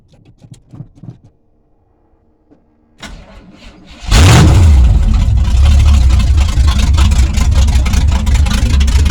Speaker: Here comes a cold start. It's about 50 degrees. We're gonna see what she sounds like when she's getting warm.